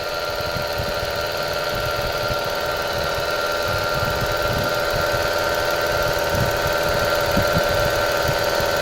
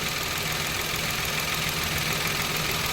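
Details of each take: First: Mitsubishi Mirage with 26,000 km, engine suddenly got noisy while driving; at idle a steady whining hum on top, traced to a rough alternator bearing, then the belt is removed to hand-spin it. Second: Mitsubishi Mirage petrol engine, 26,000 km, idling steadily and quietly with no whine or grinding after bearing and grooved belt replaced; earlier noise traced to the failed alternator bearing.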